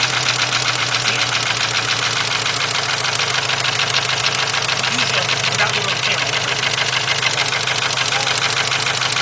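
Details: VW 2.0 engine running rough after a fuel pump change, plug wires 1 and 2 crossed: uneven idle with an irregular stumble of about three beats a second; single-cylinder misfire, not the wire.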